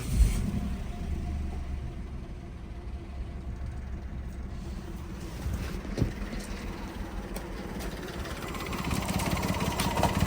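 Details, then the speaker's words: 1-litre engine with code P0301, engine management light on: uneven, lumpy idle with stumbles and shaking, little power, feels about to stall; cylinder 1 misfire. "ngine like misfires, it shakes, the engine's really rough, lots of power. We're kind of getting no power. In other words, it feels as though it's about to turn off."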